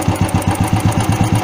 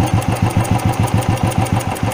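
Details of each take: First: Carburetor tuning, engine started and throttle screw turned up: even quick putting of about eight beats a second with no misses, idle speed set too high, to be lowered by turning the screw clockwise. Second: Carbureted petrol vehicle at idle after mixture screw tuning, throttle idle setting lowered: even putter about three and a half beats a second, steady with no misses or hunting; normal idle, carburetor set correctly.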